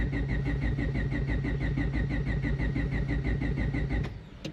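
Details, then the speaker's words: Built turbo D16Y8 Honda Civic just fitted with 1500cc injectors, Hondata S300 tune, laptop connected and pump running during cranking: the starter spins the engine evenly at about three compression pulses a second but it never fires. Insufficient cranking fuel; it fired at once with 20% cranking fuel. "Nope. So, let's give it a little bit of cranking fuel. Let's give it 20%."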